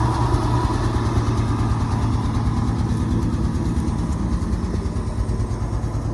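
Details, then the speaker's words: 1971 Ford F-350 crew cab long bed straight six, first running after 20 years sitting, at steady idle: smooth, even low rumble with no ticks or knocks, quiet like a sewing machine; throttle tends to stick where left; normal idle. "but listen how quiet this thing sounds sounds like a sewing machine"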